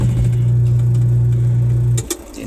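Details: Eureka single-tub washing machine after repair with nylon fix and belt check: steady low motor hum with agitator turning normally under load, then motor switches off.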